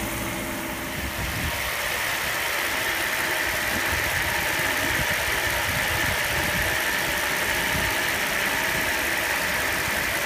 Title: SL600 rough idle